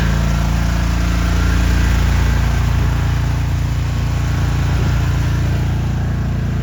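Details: Service truck's welder/engine drive after tune-up and muffler replacement, restarted: deep, even drone with a steady beat of about three to four per second and no misses; normal running.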